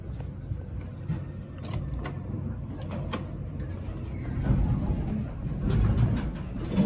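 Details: Vintage elevator, likely the building's only one: low rough rumble with scattered clicks and knocks that swells toward the end of the run, an uneven mechanical noise rather than a smooth hum.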